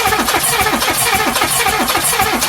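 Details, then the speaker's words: 1984 Mazda B2000 parked for running badly, no smoke or knock, radiator foaming slightly: cranked with a remote starter switch, lumpy uneven beat with some strokes weaker; low compression on some cylinders suspected, possibly head gasket. "they're escaping compression it sounds like something you know if it's intake doing that he's drawing in plenty of air"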